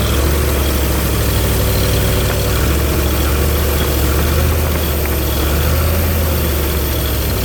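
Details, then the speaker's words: Ford 302 V8 running an air compressor (stock cam, pistons, crank and rods; distributor turned well over to run) after a tune-up with new plugs, plug wires, cap and rotor: a steady, even low idle rumble with no misses, knocks or surging. It runs normally. "does sound a whole lot better too since I did a tune up on it. New plugs and plug wires, cap, and rotor. So it's run a lot better. Sounds better too."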